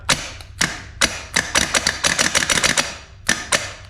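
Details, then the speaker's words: Barn-find 1978 IH Scout II starter motor on a test bench at about 13.2 volts: sharp, uneven clattering bursts that stutter and drop out instead of a smooth spin. The starter is faltering, cause unclear. "Oh, killed it. >> There we go. Maybe it isn't healthy."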